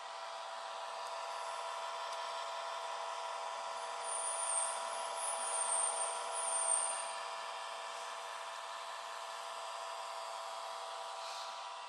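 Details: Laptop with a disturbing noise from its cooling fan: a loud, steady whir with a thin, high squeal chirping in and out from a dry fan bearing. The fan is disassembled and lubricated to fix it.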